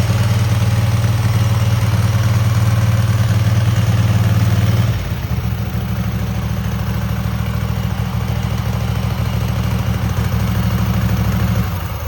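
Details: Cub Cadet garden tractor twin just after new spark plugs, carburetor not cleaned, frozen choke, and an unlocated gas leak: a steady, even low thrum around 160 pulses a minute with no knocks or misses. Smooth, normal running.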